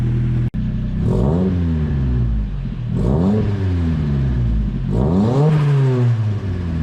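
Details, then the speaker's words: 240 at first startup after a new exhaust is fitted, warmed up and blipped: a smooth, subdued drone with clean rises and no rasp or rattle, much quieter than before. Normal exhaust note. "Yeah, it's a lot more quieter, which is really good"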